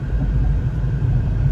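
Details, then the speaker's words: Honda City on CNG/gas that stumbled on gas; after flushing, customer confirms it runs normally at all rpm, close to petrol: steady even low rumble, no stumbling or misfire; normal running. "ตอนนี้ก็ถือว่าปกติเนาะปกติครับ"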